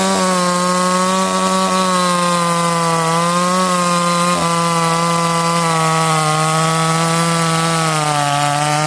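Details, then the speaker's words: Ported Stihl 026 chainsaw, first time in wood, cutting rock-hard hardwood: high steady two-stroke scream holding pitch, only sagging slightly under load; fast in softwood, strong in hardwood. Normal cutting under load. "This stuff's rock hard. It's fast in softwood. It's strong in hardwood."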